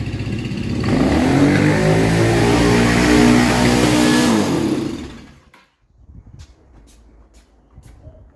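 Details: Kawasaki KZ440 project bike, new spark plugs: fires and revs unevenly for a few seconds, note wandering up and down, then dies; rough running and stalling, owner blames carbs wildly out of tune.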